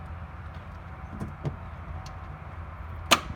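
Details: 1994 Ford Ranger 2.3 with gear-reduction starter: key turned, solenoid gets voltage, a single sharp click and no cranking, engine stays dead. Faulty starter motor.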